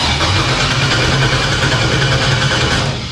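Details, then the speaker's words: 1957 Chevrolet Bel Air with unfinished 5.3 LS swap and 4L60, on jump box because of a dead battery: steady starter churning, engine turns but never fires; ECU and harness to be replaced with Terminator X. "first things first it didn't start even though it was supposed to so that's a good sign but that's exactly why we brought a Terminator X"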